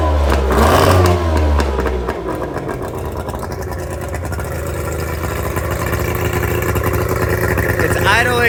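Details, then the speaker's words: Tohatsu 50 hp (M50D) two-stroke outboard on Addictor Bambino 333, on water hose, just started after swapping in donor carburetors (originals had broken float); fast, even idle around 1200 rpm, higher than wanted, owner thinks because it's now getting fuel; high idle. "pretty high, so that's probably just because it's actually getting fuel now, so we're gonna make that adjustment."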